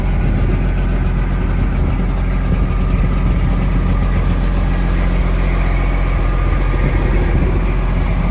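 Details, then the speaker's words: Semi truck diesel (FLD/Argosy project) just started, idling to warm up: deep, steady rumble with even beat, no knocks or misses; normal idle. "All right, we'll let that thing warm up."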